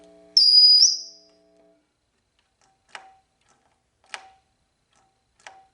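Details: Marshall guitar amp on the bench with the reverb tank working but noisy. Three short metallic pings about a second apart ring out over a quiet amp; an unexplained ringing ding, source not yet found, amp to come out of the chassis.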